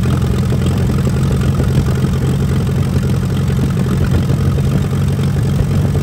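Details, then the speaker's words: 1945 Allis-Chalmers WD 4-cylinder gas tractor, sat for years, after clearing a rust-filled fuel line starving the carburetor: steady low idle chugging, even firing with light clatter, running properly. "it runs [Music] we had it running good"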